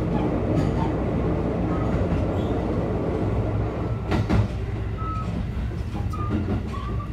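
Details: JR Biwako Line 223 series 2000 Special Rapid train running Yamashina to Kyoto, onboard running sound with a wheel flat. Heavy low rumble with repeated hard thuds from the wheels: wheel flat spot.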